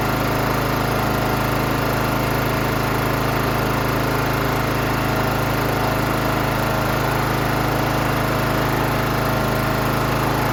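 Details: John Deere GT275 with Kawasaki engine, first start after replacing a broken valve spring and fitting a new valve cover gasket: steady, even beat of about three pulses a second with no ticking; runs smooth.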